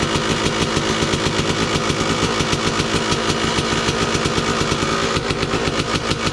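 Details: 2002 Kawasaki KDX 200 two-stroke, low hours, at idle: fast even burble, steady rhythm, KIPS exhaust valve fairly quiet with no metallic rattle; healthy normal idle.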